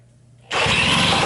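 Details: Western Auto 5hp outboard boat motor, tank off, a little extra gas, choke off, throttle fully up: quiet, then catches into a loud, even, raspy run that holds steady; starts cleanly, perfect.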